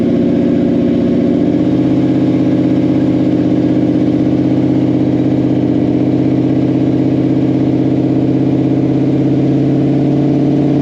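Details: Blue car on an aborted drag pass (about 142 mph top speed): the engine hangs at a high steady pitch with a rapid stutter. Shift points are commanded too late, so it bounces off the rev limiter and won't upshift until he lifts. To be fixed before the next track day.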